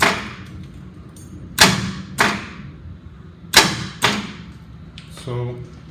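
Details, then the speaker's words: Portable fire pump engine, gauge showing 37 hours, manual crank: a few hard single starter clunks seconds apart with no cranking; engine does not turn, suspected seized, possibly from water given heavily rusted pipe. "i go to manual crank that's what i get and again it kicks hard starter is right there and it's kicking if you look here this is not turning"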